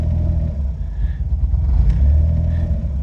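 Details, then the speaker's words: Autozam AZ-1/Suzuki Cara with a Keisport plug-and-play ECU, cold start around 40–44°F after about ten days sitting: a good first idle, but after a light throttle blip the speed keeps swelling and sagging (idle hunting), with clicking heard at the rear. "see it idles very well on the first startup but at least for me it does but then once you touch the throttle a little bit it gets upset"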